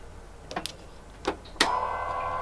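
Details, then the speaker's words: Golf Mk1 4Motion AWD, ECU switched on with engine off; a few clicks, then a steady electric motor hum holds as the Haldex pump runs; normal Haldex pump operation. "now the harlex pump maybe you can hear the helix pump it's running and now"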